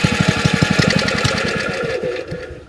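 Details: Curbside-found Wacker plate compactor, long unused, on choke after refuelling, old plug: quick regular thumping about ten beats a second falters after two seconds and dies; engine cut-out, owner suspects carburettor needs work.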